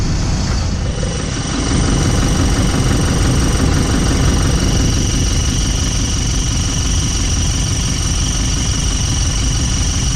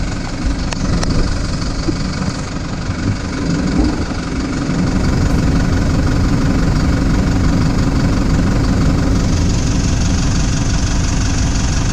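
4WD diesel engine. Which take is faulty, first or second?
first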